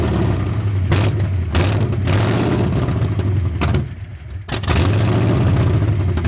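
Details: 1981 Ford Mustang 5.0 carbureted V8, parked since 1996, fed by a temporary electric fuel pump: uneven lumpy idle sagging nearly to a stall then picking up; a large vacuum leak is suspected, or distributor timing slightly off.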